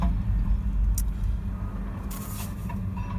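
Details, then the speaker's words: Diesel after new injectors and related work, accelerating off on a road test, window down: low, even rumble with no injector rattle or knock; quiet, normal engine noise. "just wanted to demonstrate how quiet is that i'm super impressed you can just hear the engine you know engine noise is normal engine noise no rattle"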